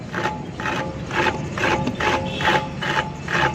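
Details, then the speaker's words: Mitsubishi Mini Pajero, jacked-up wheel turning: harsh metallic scrape about twice a second; the brake caliper is rubbing and cutting into the inside of the rim, noisy when braking and driving. "ये आवाज़ आ रही है दोस्तों, बहुत तेज़ आवाज़ आ रही है।"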